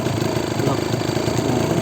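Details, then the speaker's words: Kawasaki Ninja RR 150 two-stroke, stock factory condition, cold start on choke: steady, slightly rattly idle with fast even ticking and no heavy "tek" knock from the block; normal two-stroke roughness, not a fault. "2 tak ini memang suara mesinnya itu tidak halus seperti 4 tak ya, jadi ada sedikit ada bunyi kayak gini, tapi jangan khawatir, ini tidak masalah, terkecuali bunyinya itu ada tek."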